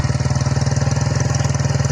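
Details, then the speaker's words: Honda Sonic motorcycle with freshly rebuilt engine (new piston); steady, even low idle pulses with no ticking or rattle, engine quiet and healthy, normal idle. "เครื่องดีนะครับผมไม่ดังไม่ควรนะเครื่องเงียบๆ"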